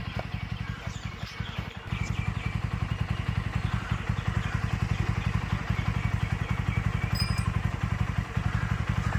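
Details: TVS Apache RTR 200 4V single-cylinder after engine work (cylinder, valve, rocker kits): even beats at roughly three to four pulses a second, no ticking or clatter; healthy idle.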